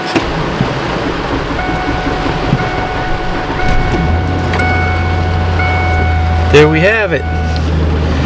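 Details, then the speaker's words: 2000 Ford F150 cold start at 47.5°F in rain: chime beeps, engine catches on first crank and settles into a steady even low idle; healthy start. "muddy Ford fired right up"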